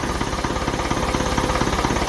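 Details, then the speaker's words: 1955 Ferguson 20 TEF diesel tractor after fuel system work and injector bleeding, running without air filter, charging on ammeter, clutch down; steady, even diesel clatter at idle with no misses, quiet and healthy, not smoky. "Mighty stuff. Sounds fantastic. Delighted. There, clutch. Clutch down. Nice and quiet."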